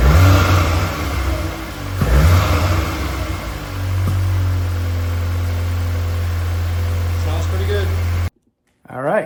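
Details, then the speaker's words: MK8 VW Golf R just after a Racingline R600 Evo intake and turbo inlet install, started with no fault codes: a crisp throttle blip settling into a deep, steady idle with no knock or misfire; normal. "All right, so we got it fired up and there's no codes, which is always a good thing. So let's hear what it sounds like."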